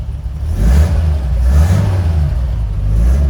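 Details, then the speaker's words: Unrestored 1969 Toyota FJ40 Land Cruiser, 28,967 miles, cold, in neutral; carb jetted up for ethanol fuel. Deep engine note climbs cleanly and holds with no misses, knocks or rattles; throttle response is fantastic. "I jetted up the carb a little bit for ethanol fuel. Response is fantastic."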